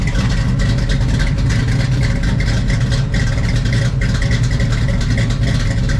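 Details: 1970 Chevrolet Camaro SS 350ci V8 with 2,200 miles, started on a new battery after long storage: deep, loud, lumpy rumble held steady with no misses or knocks; engine running strong.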